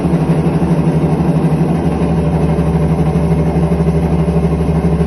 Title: IPSO commercial washer - bad bearings